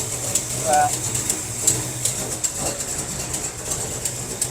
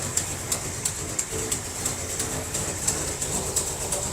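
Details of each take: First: 1957 Chevy wagon big block, barn find, running for the first time in 20 years after carburetor work, with the fuel pump working: a rough idle with sharp, regular ticking of about two to three per second, from an exhaust leak. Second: Barn-find 1957 Chevy wagon, big-block V8, running for the first time in about 20 years after a carburetor fix: steady, smooth idle with even light ticking over the exhaust. Fuel pump working, an exhaust leak is noted. Normal idle.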